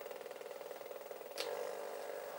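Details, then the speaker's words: Old chart recorder paper drive stepping through speed settings (0.5, 1, 2 mm per second): quick, even ticking with a single click as the speed is switched. Normal running. "That's on 0.5 millimeter per second that this paper is travelling this way."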